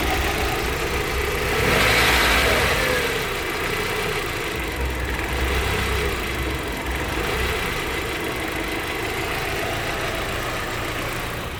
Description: 1.8 ADR 1996 strange noise and dropping RPM when accelerating rpm drops 3-4 times and stabilizes depending if running on petrol or LPG.